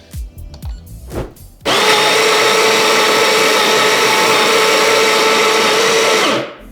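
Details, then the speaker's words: Baratza Sette 270Wi espresso grinder, faster but louder; loud, steady high-pitched blender-like whirring for about five seconds, even and unchanging, normal grinding though noisy. "but you did hear that grinder and it was significantly louder. The tone is more like I don't know, it's it's like a blender from the next door over. It's it's kind of a higher pitch tone."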